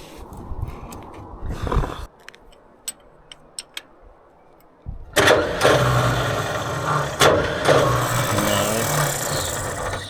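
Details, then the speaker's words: Vintage TD9 bulldozer starter, battery fully charged, pinion teeth worn and freshly greased: quick click, then a high free-spinning whir with no cranking. Pinion not engaging the flywheel; owner suspects the one-way bearing is slipping. "still not engaging. So, I'm going to have to try something else. Uh I think that oneway bearing is sometimes slipping and yeah, see that slipped."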